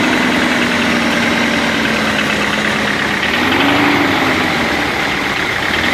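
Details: BMW 318 E36: a fast, light tapping knock, about four a second, rides over a steady idle; engine knock at idle, cause not yet pinned down.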